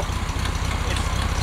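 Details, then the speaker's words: 1969 VW Beetle air-cooled engine before spark plug change: uneven skipping exhaust rumble, stumbling and coughing, won't take full throttle; misfire, owner suspects wrong spark plugs, replacing with correct heat-range plugs. "hear it sounds like it's running okay but it really is not running okay it's a little off you hear that does not want to full run won't let you go full throttle"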